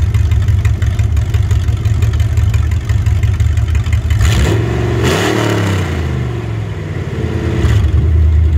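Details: Ford 302 Windsor V8 on an engine test stand, running after 12 years unstarted: a smooth, steady idle, then a clean quick rev that settles back without misses or knocks. No smoke and good oil pressure; the temperature reads high, suspected wrong sender.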